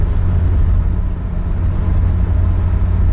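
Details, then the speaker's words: Nissan 200SX (S12) cruising at 60 mph after swapping in the parts car's rear differential; previously howled, now steady low road rumble with no whine rising with speed, rear diff quiet and healthy. "all right that's 60 at 60 it howled before Perfection now zero noise it was sort of worth it yay it was still entirely too much money for this car but at least it doesn't howl"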